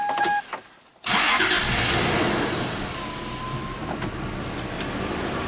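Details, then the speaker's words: 2004 Toyota Tacoma V6, 5-speed 4WD, 260k miles, after throttle body cleaning: a couple of chimes, engine catches at once and settles into a steady, even idle with no knocks or misses; normal start. "smooth Toyota I think it's still running in the original timing belt believe it or not"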